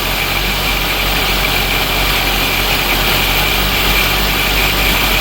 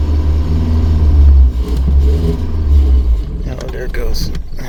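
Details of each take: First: 1983 Dodge Aries K-car wagon, 5-speed, revived after 30 years: even, steady idle without stumbling or surging. Its longest run so far; not yet revved. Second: 1983 Dodge Aries K-car wagon, 5-speed, sitting 30 years, carbureted: engine catches, runs a couple of seconds, surges, then sags and dies as the carb runs dry. Fuel starvation, no gas getting through; pinhole leaks in the lines suspected.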